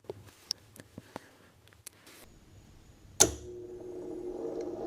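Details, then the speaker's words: 80-year-old 240 V kiln retrofitted with computer control, test program rebooted: a few light relay ticks, then sharp clack as main contactor pulls in with SSR, rising whir as elements heat; normal contactor pull-in. "that's the main contactor, and that's the SSR, and the elements are heating inside the kiln."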